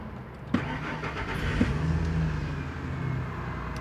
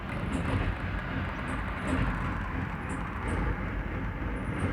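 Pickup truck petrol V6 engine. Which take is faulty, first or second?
second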